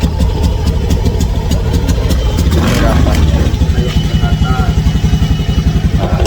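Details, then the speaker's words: Honda Scoopy scooter, owner complaining of stumbling, running with an uneven, faltering beat and noisy whine, feeling weak and unwilling to pull. Engine hesitation. "Kalau saya kadet terdengar suara berisik kayak gini. Ngiteng tuh. [musik] Ini kayak enggak kuat ya, Teman-teman."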